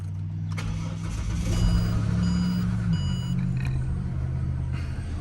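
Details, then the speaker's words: Ford BF XR6 after VCT cam solenoid replacement, battery partly charged: starts first pop and settles into a low, steady, even idle with no misfire or stumble. "but yeah it starts fine I'll just start it up"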